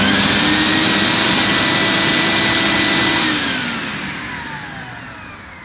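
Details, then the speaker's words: Vax HF1400 combined upright vacuum and carpet washer, switched on at the lowest setting on its electronic dial. Smooth steady motor whine at low speed, then a clean wind-down when switched off; normal running. "That sounds fine to me. Obviously, it was in the lowest setting on the electronic dial, so I'll turn that up in a minute."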